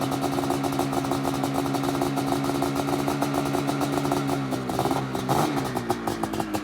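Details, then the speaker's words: Two-stroke sled idling on a known-good CDI, warming up before a 144 CDI box is swapped in for testing: even, crackly idle at steady pitch, settling slightly near the end, no misses or knocks. Normal two-stroke idle. "That sound never gets old."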